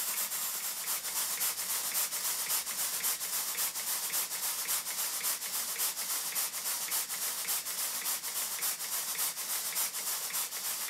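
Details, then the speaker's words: Southworth large duplex steam pump after valve timing tweaks: crisp, even exhaust chuffs at about 107 a minute over a soft hiss; running steadily with good timing. "i'll stop talking and let you listen to the exhaust beats"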